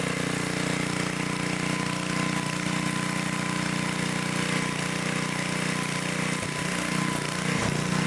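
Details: 1972 Dayton 3,000 W electric-start generator, revived after sitting 30 years, running after reassembly during an RPM check: the small engine holds a steady, even drone at constant speed with no misses or knocks, sounding healthy.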